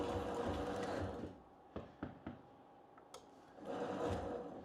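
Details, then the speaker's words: Homemade miter saw elevator gearbox: steady whirring gear drive cuts out, then sharp cracks and snaps as it stalls; the smallest wooden gear broke again after replacement with a new wooden gear; steel or acrylic gear considered. "The smallest wooden gear in the gearbox broke."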